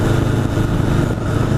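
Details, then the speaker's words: 1981 Honda CB750 Custom riding after its carburetors were fixed. Steady, even four-cylinder drone under light throttle with road and wind noise. The carburetted engine pulls cleanly and runs really good. "I mean, she has some pep now. She runs good. She runs really good. And sounds good too."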